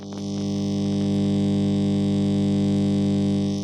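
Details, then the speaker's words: Kriesler 11-20 "Plum Pudding" radio powered through dim bulb tester, microphone moved close: steady low buzzy mains hum; restorer suspects filter capacitors. "so we know she's working not very well but um probably we do have hum which I don't know whether you can hear that I'll put the mic over"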